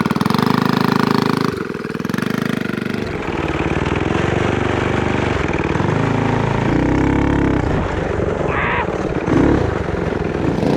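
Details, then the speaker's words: Predator 212 single-cylinder engine from a snowblower with performance billet parts, in a Coleman CT200U-EX mini bike, first pull, idling and revving: loud rough knock from rod knock; engine also smoking. "again you can hear it knocking dude first pull though oh it's loud"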